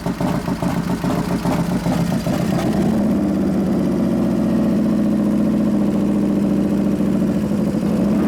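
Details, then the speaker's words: New 1993 Harley FXR Evo 89ci stroker build, first start using compression releases after starter trouble (suspected relay); settles from a blip into loping uneven-beat idle with steady low drone, runs clean: normal idle. "on sounds pretty damn good"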